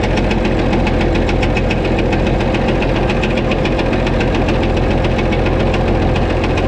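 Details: White 2-155 tractor engine idling, heavy fairly regular knock about three or four a second with slight miss; blow-by, exhaust and oil pressure normal, internal knock of unknown cause, engine work planned.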